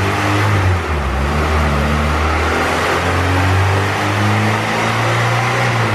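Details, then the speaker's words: Turbo B18C GSR (rods, pistons, stock GSR cams, ~50-trim eBay turbo, log manifold, 1000cc injectors) in an EK coupe on dyno: steady full-throttle pull at about 6.5 psi boost to 7,000 rpm, no stumble; tune still rich from bigger cam. "We're good. It was like 6.5 pounds of boost. I only spun it to 7,000 RPM."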